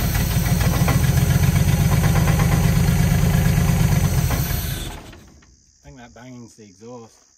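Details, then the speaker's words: 1976 HX Holden Ute after turning loose distributor: steady thumping knocks riding the idle beat, stopping at shutdown; exhaust pipe hard up against and hitting the crossmember. "Yeah, the exhaust is hard up against the cross member, and yeah, that's the exhaust hitting on that side."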